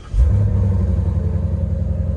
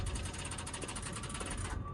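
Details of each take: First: Auction car with actual 19,000 miles, in hot weather, AC running: catches with a quick blip, then settles into a deep, even V8 burble at idle; cranks up and shuts off with no problem, sounds healthy. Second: Auction car on key turn, foot on the brake, meant to run the AC: fast harsh rattling chatter under two seconds then cuts out; suspected dead battery or starter, otherwise a fried motor; cause unclear.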